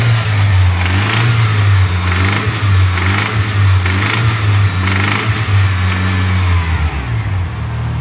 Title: Evo engine noise issue vid